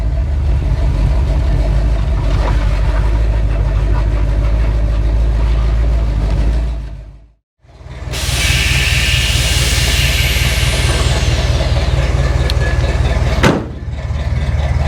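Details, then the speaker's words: 1947 Chevy hot rod on airbags, stored and forgotten for years, first drive back out; loud, uneven V8 rumble with a lumpy, unsteady beat that drops out and returns. Brakes seemed to drag; it runs badly, cause not yet known. "it runs bad but it looks cool"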